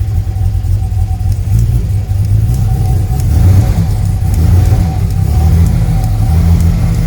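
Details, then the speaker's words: Second BMW B220 marine engine on a Sunseeker XPS 25, first start after revival work: smooth, deep idle with an occasional faint stumble, a slight miss expected to clear out; otherwise very smooth on tick over. "awesome that one sounds like it's missing a tiny bit but it'll clear out certainly very smooth on tick over nice"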